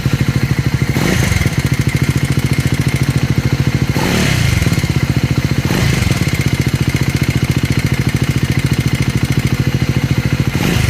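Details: Scrambler 400 X / Speed 400 single at idle: a steady, quick thump of about three and a half beats a second with a clattery edge. Abnormal engine noise, source unclear.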